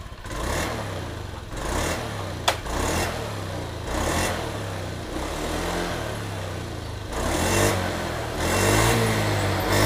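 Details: Honda Scoopy scooter that stuttered on throttle despite normal fuel pressure (40.3 psi), injector and new air filter, after replacing the faulty ignition coil: engine blips up and down cleanly without stumbling or misfiring.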